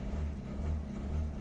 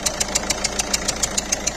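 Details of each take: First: Peugeot 3008 1.6 eHDi 112 hp diesel, automatic, first start after repair, air still in fuel, held at slightly raised revs: low, steady drone without knocking or rattles; engine sounds good. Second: Peugeot 3008 1.6 eHDi 112 hp diesel at idle, engine bay: sharp regular chuffing tick about twice a second over diesel clatter, worse when driving, with smoke and exhaust gas from under the hood; suspected leaking injector seals.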